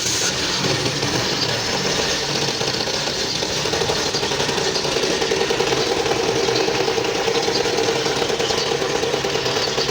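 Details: Toyota GLI engine at idle: a fast, busy metallic rattle over a steady idle; worn or loose timing chain suspected, not confirmed.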